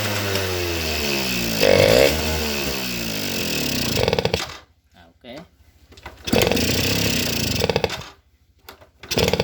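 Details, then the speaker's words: Suzuki RC two-stroke motorcycle that starts only on choke, won't rev at full throttle, stutters as if starved of fuel and dies off throttle; carburetor passages worn loose: crackling, uneven surging that never revs cleanly, from a blocked pilot jet. "Oke, harus dicuk dulu, kalau tidak dicuk tidak bisa nyala karena motor ini tidak normal."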